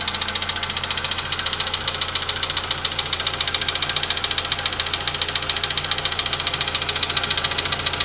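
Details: VW Polo Sedan at 93,000 km, cold start idle: sharp, even tick-knock about three and a half times per second over the engine hum; clear engine knock of unknown source.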